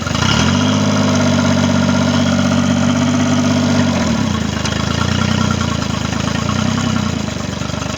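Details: Triton boat's Mercury 25 hp outboard after a no-start issue, final running: even idle pulsing about four times a second, a tone shift near four seconds, then steady running with no misfires; normal idle.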